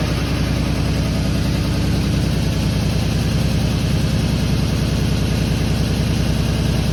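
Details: Fire-damaged 1951 Chevy six, carburetor stopped leaking after it was tapped, radiator not yet fitted: steady, even low rumble, smooth regular beat, no misses, knocks or ticks; normal idle.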